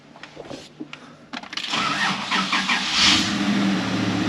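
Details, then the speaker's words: 1995 Honda Passport (Isuzu Rodeo), hard start and power loss suspected in the fuel system, now showing about 40 psi fuel pressure: a few seconds of cranking, then fires promptly and settles into a steady, even idle; normal start. "Started right up. Let's see what we got. Bam, 40 psi."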